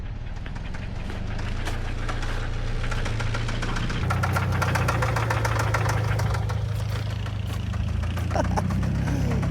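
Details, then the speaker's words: Car with a failed engine: heavy, regular knocking at idle, roughly four blows a second over a rough-running engine; deep bottom-end knock, engine described as toast. "Oh no, I hear some shit. It doesn't sound good."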